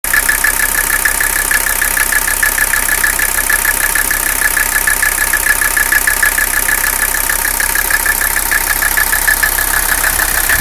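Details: Mercedes 300CD diesel with rough idle: sharp, slightly uneven clatter pulsing about twice a second; cause unknown, diagnosis sought.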